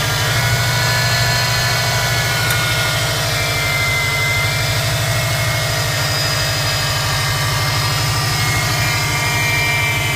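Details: 2005 Subaru Impreza WRX idling: several steady high-pitched whining tones over the low rumble, with turbo whistle while driving; cause unknown.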